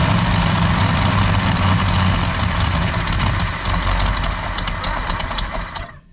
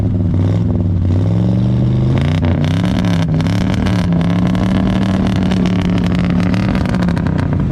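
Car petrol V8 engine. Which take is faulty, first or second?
first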